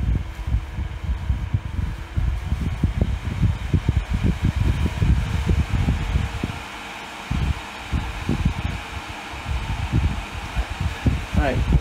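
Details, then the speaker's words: Dyson Hot and Cool fan heater after PCB repair using donor boards (motor controller chip had blown, taking out the microcontroller), heat mode set to 37 degrees; airflow gusts and whooshes unevenly as speed ramps up, no grinding, rattle or whine; normal. "and I guess the number on the bottom is the degrees that you want it to heat up to so we'll set that to 37 and starting to ramp the uh speed up there"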